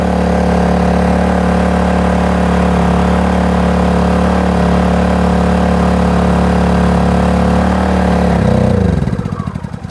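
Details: Kraft&Dele KD681 3000 W inverter generator carrying about 1.5 kW (1568 W) heater load on 200 ml petrol: steady, even drone with no misses or knocks for 15 minutes, then it runs out of fuel and winds down; normal running under load.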